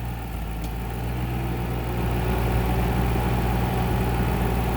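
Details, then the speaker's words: 2009 Ford Mustang GT (S197) V8 idling smoothly with AC on and a steady low hum, no knocks or squeals. The compressor cycles off, pressure drops slightly, then it re-engages and builds pressure. Charge checks as correct, normal operation. "The compressor's off, and it dropped a little, but now it's back on again. It's building up more pressure, and then it knows when to disengage."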